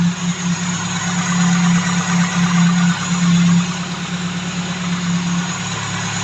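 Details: Tavria carburetted engine that stalled while driving, after replacing the ignition commutator, Hall sensor checked working: even low idle hum, slight wavering, no stalling or misfire; normal idle, commutator blamed for the fault.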